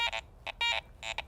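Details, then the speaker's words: Garrett ACE 400i metal detector with Iron Audio on, swung over a bottle cap: short high beeps over the target broken by low grunts at each end of the swing, showing iron content, not a good coin. "If you notice there at the ends of the swing as I pass the target by, there's some grunts on either side of the target. Above it, it sounds pretty good, but coming and going,"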